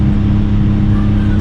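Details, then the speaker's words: Kei car with a cracked muffler: loud, steady low drone with a hard exhaust note; the muffler weld repair failed after about two minutes of driving, leaving an exhaust leak. "exhaust off probably end up in the riley's a bunch of times again but you can hear it it's [ __ ] loud"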